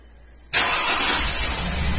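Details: 2003 Ford Windstar 3.8 V6 running rough with misfire codes, plugs changed earlier; cranks, catches and settles into rough uneven stumbling idle; scan tools point to cylinder 2 and cylinder 6; confirmed faulty ignition coil.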